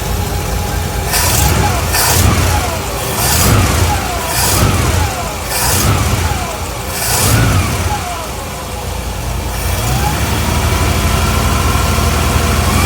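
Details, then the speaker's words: 1964 Buick LeSabre V8 idling with a few throttle blips after a GM one-wire alternator install (the old one had a bad bearing): exhaust leaks plus an unidentified whir rising with revs; owner guesses water pump bearing, air leak, or torque converter/transmission. "All kinds of noises, >> [music] >> exhaust leaks and I don't know what that whirring noise is. Water pump bearing? I don't know."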